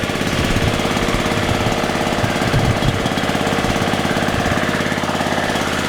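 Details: Scrap-pickup riding mower started as it sat; steady, even engine beat at constant idle, no sharp knocking or misfire: runs normally.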